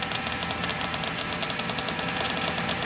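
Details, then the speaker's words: Monarch 610 lathe hydraulic pump: rapid uneven crackling rattle over steady whir, air bubbles felt pulsing in the hose; owner suspects air leak in the suction line from the filter to the pump. "here you can really feel the the air bubbles pulsing through there. At least that's what I think it is. And it makes me think there's a leak in this suction line over to here."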